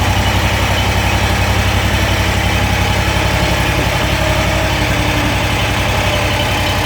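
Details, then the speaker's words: Kawasaki FX801V V-twin on a Kubota zero-turn mower, 400 hours, just valve-adjusted, cold start: loud steady idle with a fast, fairly even valvetrain clatter on top, most noticeable at idle or low speed; owner wonders whether it is normal. "now to be it just sounds like an awful lot of chatter but let's give her a quick rub so to me it almost sounds more noticeable at idle or low speed"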